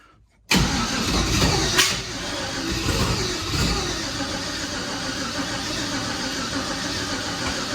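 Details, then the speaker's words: Junkyard LS (L33, 799 heads) behind a big turbo, on 5-month-old methanol with a Holley, a weak battery and starting fluid: hard, ragged cranking chuffs that never catch into an idle. Crank, no start. "Oh my God. It's so close yet so far."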